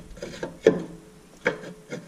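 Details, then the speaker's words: Rear parking brake shoes on a 2013 4WD Nissan Pathfinder SL during hub assembly replacement: slow hand-turned rotor gives a few soft, light scrapes with no grinding, a normal slight drag from properly adjusted shoes. "you want you want it to have a little bit of drag when you're putting it on and off"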